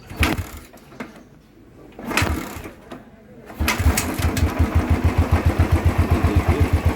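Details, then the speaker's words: Royal Enfield Thunderbird Twinspark single, after troubleshooting a high-rpm and smoke issue and closing off the filter: steady, even thumps at the set 1100 rpm idle with no throttle and no smoke; normal idle. "अभी ये proper ये चल रही है और RPM जो मैंने set कर रखा है 1100 में है कहीं से भी घुमा नहीं निकल रहा है"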